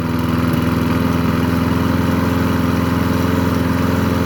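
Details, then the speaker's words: Craftsman 22 inch push mower with old-type Briggs & Stratton 6.0 engine, after carburetor cleaning: steady, even single-cylinder putter with consistent beat, no misses or surging, little smoke; runs healthy. "yeah not just that actually worked pretty well"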